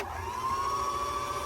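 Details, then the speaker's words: Bernette B65 sewing machine with the cover back on: the bobbin winder is engaged and the whir rises, then holds steady with no grinding. The bobbin winder clutch, which made a loud noise before, was cleaned with WD-40. "perfect ni stitching now when I engage it again the machine will start working if I engage that's what it needs to do"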